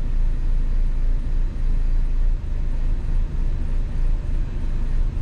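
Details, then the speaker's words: MINI Cooper idling as battery voltage drops from about 13.7 V to 12 V: rumble sags and surges about once a second, fading toward a stall; mechanic suspects an internally shorting, heat-affected fuel pump. "should get quicker and quicker here we go it's like slowly going down"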